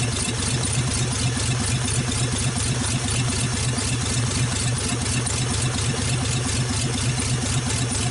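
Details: 1948 Nash engine after first start, water hose flushing cooling system, warming up; even steady idle with regular soft pulses, no knocks or misses, sounds healthy.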